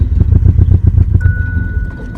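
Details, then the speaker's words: 1989 Ford Probe GT (1990 nose) parts car, start attempt with Sea Foam added: engine chugs and dies while a chime sounds, won't hold idle even with pumping throttle; owner wonders if air problem; engine stalling. "ah she just won't hold it i'm pumping it i don't know if that helps or not she came back with the vengeance"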